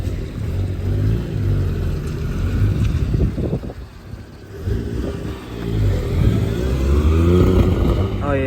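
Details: Suzuki Cappuccino on a test drive with a suspected boost leak: engine pulls, then revs stumble, hiccup and surge unevenly under throttle; hissing gone after a line swap, possible misfire, cause not confirmed.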